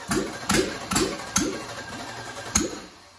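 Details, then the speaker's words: Rebuilt aluminum 5.3 LS (turbo, for 2014 Dodge Grand Caravan RWD manual conversion) on first fire: uneven stumbling chuffs about twice a second, won't rev, dies; tune still had 80 lb/hr injector data but 29 lb/hr injectors fitted, so fueling very lean. "so i think i might know why uh well i loaded into tune with 80 pound per hour ejectors these are 29 pounds per hour never really thought about that"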